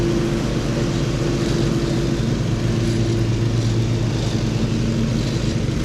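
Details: Husqvarna HU 625HWT string trimmer that a coworker couldn't get running, test-started mid-repair: holds a smooth, constant drone without stumbling or knocking; running normally.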